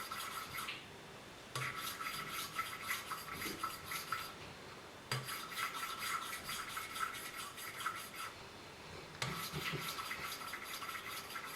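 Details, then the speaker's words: 1983 Kawasaki 750 LTD four-cylinder head rebuild, hand valve lapping with suction tool and grinding compound: bursts of dry, even, light rasping strokes twisting back and forth with pauses; first valve seat bedded in, lapping finished. "And eventually you will be able to hear that we're finished with lapping this valve."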